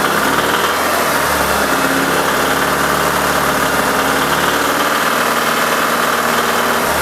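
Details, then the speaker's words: Alfa Romeo 166 2.0 TS running after diagnosis and sump removal and refit: a loud, steady, fast ticking knock over idle; certainly from inside the engine, one flaw found on a shaft, teardown planned. "но звук идёт с мотора это 100% так что дальше нас ждёт вскрытие"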